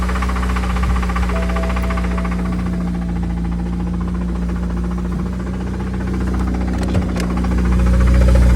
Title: N54: Faulty ac compressor or rod knock